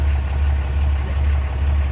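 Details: Diesel engine idling after an oil and fuel filter change: a steady low rumble, even and unbroken with no knocks or misses, during a leak check that found no leaks front or rear. Normal idle.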